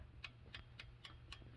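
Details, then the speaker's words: Hand-turned single-cylinder engine on a budget Chinese dual-sport motorcycle after setting valve lash: light, crisp ticks about four a second as the rockers tap the valves, showing proper clearance where there was none before. "you hear that that little tapping that is the lash set i didn't have any before now i have some"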